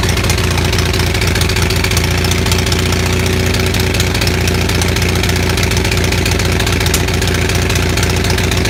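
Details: Onan 6500 (6.5 kW) gas commercial generator, no muffler, before repair: loud, uneven lumpy running with irregular stumbles, popping and shaking; misfire traced to a severely fouled spark plug, with spark still present.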